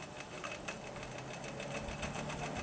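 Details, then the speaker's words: GE W 25 box fan, worn single bearing let rotor drop and hit stator; after oiling and reassembly, first test on low speed: quiet hum with faint irregular light scratches, rotor catching leftover metal shavings that need more cleaning out. "three two one okay we got a little scrapes"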